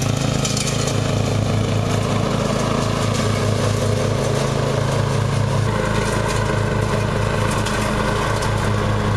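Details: Murray riding mower, first run of the year after long storage and a mouse nest cleaned out; gas half full and not old, filter unchanged. A steady single-cylinder beat at about two firings a second with no stumbling or surging; running perfectly.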